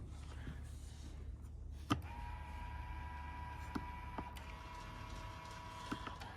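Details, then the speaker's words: 2015 Hyundai Genesis 5.0 power mirrors, switch operated: faint, steady electric buzz from the motors but neither mirror moves, both broken; owner unsure of cause, possibly the fold motors. "They're both broken, so neither of them are actually functioning. You can hear the motors, and none of these switches right here are doing anything to the mirrors."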